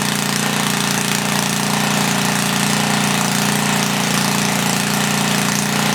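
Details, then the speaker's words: 1976 Tilly rototiller with 3hp Briggs and Stratton single-cylinder, not run for years, muffler missing: harsh, raspy, very loud bark running hard with no muffler; engine then shuts off suddenly, owner suspects lost spark, possibly points. "okay i don't know good lost spark i'll tell you that muffler is damn loud i know there is oil in it"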